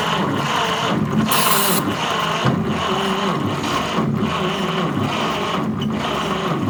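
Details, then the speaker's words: 1946 Chevy pickup, straight-six, sitting in a barn since the late 1980s (about 37 years), first start attempt: steady starter churn with only an odd weak catch. It cranks but barely fires; compression from an open cylinder seemed good. "Sometimes it's like that. It's not firing very much."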